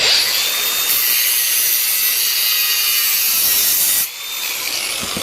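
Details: Makita DGA404 18V 4-inch brushless cordless grinder after rental and maintenance, grinding scrap steel as a final test. A steady high-pitched hiss, speed holding even with no rattle or bearing growl. Healthy; no parts needed replacing.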